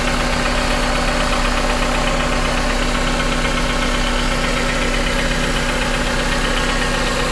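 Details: 2001 Honda Civic DX with swapped JDM K20A, about 7k miles since swap, at idle: fast, fairly even knock about four per second over a constant drone, plus injector tick; louder when cold, source unknown.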